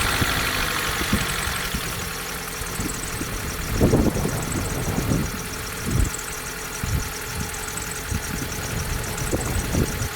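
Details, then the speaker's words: 2004 Vauxhall Corsa C 1.2 petrol, off the road two years, idling before its oil change. Busy light chatter from the top end over a mid-pitched hum; owner judges it noisy at the top end and needing fresh oil. "Sounds a bit noisy at the top end, so it definitely benefits from an oil change, and we can get an oil push as well."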